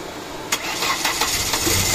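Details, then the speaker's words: Ford Escape 2.0 automatic, check engine light, stalling in traffic: short cranking bursts with sharp clicks, engine barely catches and runs unevenly; intermittent no-start as moving the crank sensor wire, which looks broken, kills it; rewiring planned. "Pero intermittent minsan aandar siya ng one click minsan hindi ulitin natin paandarin yung cranks sensor ni Sir May problema"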